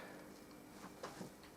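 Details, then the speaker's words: Repaired Playmaster Pro Series 3 amplifier into speakers: quiet steady faint hiss with a few light clicks, no hum or crackle; sounds healthy. "It's got a hiss coming out of it, so yeah, that's fine."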